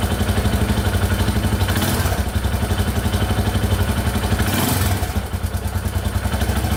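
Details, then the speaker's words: 2001 Yamaha Warrior 350 single-cylinder quad at steady idle, about four beats a second, after the loose exhaust valve was adjusted: the top-end ticking is gone but a light metallic rattle remains from the timing chain area. "alright so the ticking in the top end went away but i can still hear it a little bit by the timing chain so we're just gonna tear it all apart and take a look"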